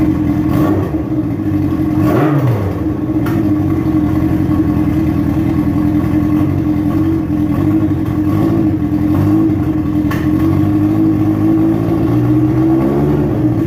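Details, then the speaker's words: Dune buggy engine at first start-up after build, super quiet, before testing gears; earlier carburetor overflow fixed. Steady buzzing drone with light throttle blips, even, no knocks or misses, running cleanly. "it is super quiet it is um let's just test out the gears and all because we can test it out"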